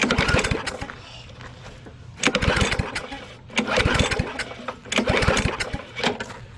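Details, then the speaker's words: Yard Machines 22-inch push mower with Briggs & Stratton engine, found in the trash: three pull-start bursts, each a quick rattly chug that dies away, never catching; owners suspect water in the carburetor and try starting fluid. "go get the starting fluid let's go hit it with a little bit of starting fluid because you know you only have a screwdriver um we're going to go ahead and hit this with some starting fluid because we know that there was a lot of water so there's probably a water a lot of water in the carburetor"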